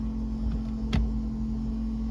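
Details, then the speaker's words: Porsche 914 stock fuel-injection fuel pump relocated under the car in soundproofing wrap, heard from inside the car: a steady low hum with a constant tone and no surging, normal and not too loud. "That's a little bit of noise, but that's to be expected. It's not too loud, I don't think,"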